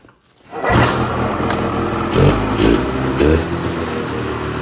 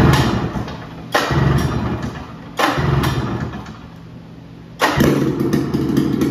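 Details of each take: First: 1978 Polaris Cobra 440 two-stroke snowmobile engine, free revival project, after exhaust refitted: fires up and settles into a crisp, even run with clean throttle blips, sounding a lot better; normal running. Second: 1978 Polaris Cobra 440 two-stroke snowmobile engine, first start after fresh gas and priming: barks to life in bursts, revs flaring and sagging, ragged and hunting; owner says it's running lean, not confirmed; rough running.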